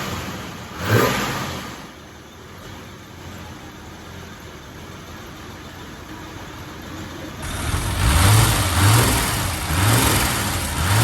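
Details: Mercedes barn find sitting over 30 years: catches and runs unevenly, revs rising and sagging with lumpy low beat; rough after long storage, cause not confirmed.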